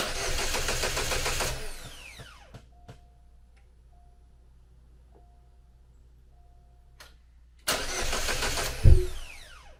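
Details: Chevrolet Cobalt SS (LSJ supercharged, just reassembled) cranks briefly, stops, then a second burst with a short catch but won't keep running; intermittent no-start, owner suspected weak battery, cause unconfirmed.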